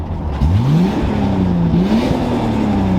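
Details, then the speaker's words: Imported Nissan R32 Skyline with MaXpeedingRods turbo, first drive after rebuild: clean whistle climbs smoothly with revs over strong engine note, holds steady while pulling; healthy turbo spool under acceleration. "but the only noise we really care about at the moment is that incredible dose from the max ping turbo like listen to"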